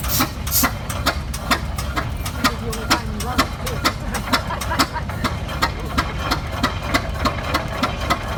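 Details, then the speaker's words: 1917 Eagle F 16-30 two-cylinder tractor (7,200 lb) idling just after starting: slow, heavy pops about two a second, one cylinder then the other, firing evenly over a low rumble; healthy idle. "If you listen to that engine, it was very distinct. One piston, then the other. Boom, boom, boom, boom."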